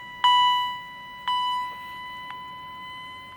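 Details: Second Edwards EST 757-5A-CS Integrity chime strobe; clear high chime strikes about a second apart, then weaker tones as supply power is turned off; higher pitched and healthier than the other unit; normal.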